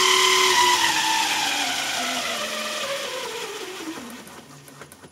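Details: JET BD-11 lathe CNC conversion, 1.5 kW servo, HTD8M 40 mm toothed spindle belt on temporary 3D-printed plastic pulleys: loud high whine falling in pitch as the spindle spins down from about 2000+ rpm; belt sings at speed, tensioning doesn't help.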